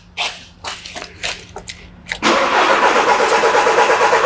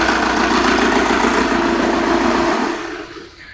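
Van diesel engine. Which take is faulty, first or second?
second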